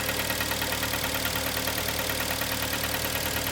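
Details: 2011 Kia Sportage 2.0 G4KD, cold idle after endoscopy shows scuffed cylinders with aluminium transferred from pistons to liners: steady, fairly even knock about two per second, persisting after five minutes; piston slap, engine needs overhaul.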